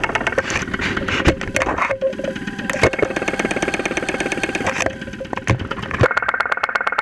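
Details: 2001 Saturn SL2 run with very low oil and unused for two months, heard through a stethoscope microphone at idle with 35-40 psi oil pressure: a sharp, regular knock over the idle that keeps pace with engine speed. Oil starvation suspected, not confirmed.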